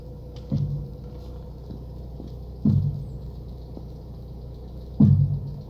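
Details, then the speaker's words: Lada Priora, steering wheel turned at a standstill after strut mount replaced: three dull heavy thumps a couple of seconds apart from the right front strut; owner suspects spring slipping off the bearing or cup, unconfirmed. "выехал со 100 покатался немного появился очень очень неприятный стук сейчас я вам попробую продемонстрировать"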